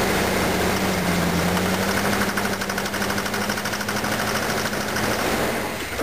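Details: Car engine with worn camshaft lobes, suspected slipped timing chain, worn carburetor, no power: steady running with light irregular ticking about three per second from top end; valves knocking badly on 91 octane fuel, cause suspected, not confirmed.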